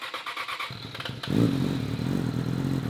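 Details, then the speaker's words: Yamaha with high mileage and a Yoshimura exhaust, nearly dead battery, usually needs a second crank: brief cranking chatter, then catches cleanly into a smooth even idle with no knocks or rattles; an engine code is stored but sounds healthy. "I was actually surprised I think it was camera shy I just wanted to make sure it uh sounded good on camera"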